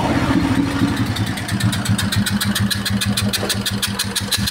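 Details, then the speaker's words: 2013-era Royal Enfield Bullet single-cylinder at idle with a sharp, regular puffing tick on every firing stroke over the thump; engine compression leakage, hurting starting and mileage, rocker rod damage found on dismantling. "Sound பாருங்க இந்த இடத்துக்கு leakage ஆகுதா நல்லா தெரியும் compression வந்து அதனால வந்து நமக்கு ஸ்டார்ட் ஆகாது இருக்காது மைலேஜ் இருக்காது எதுவுமே இருக்காது"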